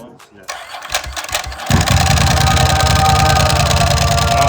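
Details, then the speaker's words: Crashed, stripped streetfighter-converted Ducati 999 superbike with leaking fork seals, started after a couple of cranks: roars into a loud lumpy twin idle with light dry-clutch rattle over the exhaust note; normal start-up, bike runs well. "you can hear, the 999 roared to life with that dry clutch sound and the exhaust note."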